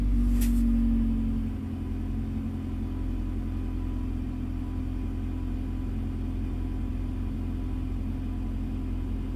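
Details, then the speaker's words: Honda Fit that sat a long time, with a new battery, had a no-crank traced to a corroded starter solenoid wire; starter replaced. The engine catches and settles into a low, smooth, steady idle; normal after repair. "Anyways, um so yeah, the car is working. Everything's running really good."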